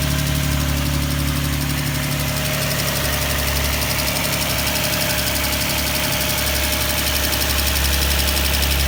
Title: Nissan 350z ticking noise June 2017